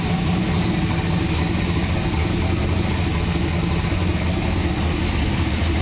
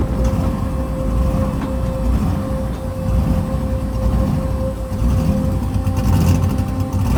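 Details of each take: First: Turbocharged COPO Camaro V8, freshly built with a new intake, turbo and exhaust, refired to idle: a deep, even rumble holding steady with no knocks, ticks or stumbles; healthy and clean. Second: Turbocharged COPO Camaro V8 on its maiden drive, water temp good: a loud idle with a steady whistle on top, the note slowly swelling and sagging; idle surge.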